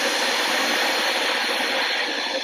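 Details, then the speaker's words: Dyson DC25 vacuum test-run after all three switches were replaced, before reassembly. Steady, high-pitched motor roar with an airy hiss at an even level, no surging or grinding; power works and it runs normally. "Okay, guys, all three switches are replaced. It's going to be kind of noisy, forgive me."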